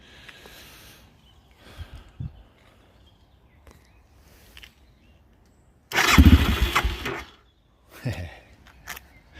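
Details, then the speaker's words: Aprilia motorcycle engine, first start attempt after install and coolant refill with 50/50 mix: brief cranking with a few coughs that never catch, then silence; hesitant no-start, owner suspects carburetors not yet filled with fuel. "That was the first attempt. It's a little hesitant, but it's probably just that the carburetors needs to be kind of full fill up."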